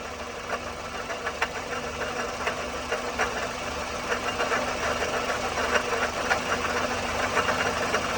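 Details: 2004 Toyota Matrix XR 1ZZ-FE, 5-speed manual, 174,400 mi, burns ~0.5 qt per oil change, at operating temp under various rpm and loads: light metallic ticking rattle, 3-4 taps per second, uneven, over quiet idle, noticed ~1500 mi earlier; source unknown.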